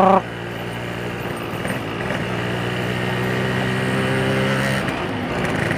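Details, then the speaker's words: Two-stroke on standard tune with Axson 2T semi-synthetic oil, aftermarket Crun block, FIM standard piston, Pertalite fuel, at steady low speed: coarse, gritty note over exhaust; owner attributes it to piston ring scraping the liner; rough running noise. "suara gesekan antara ring Piston dengan dinding linernya itu tuh dengaran banget"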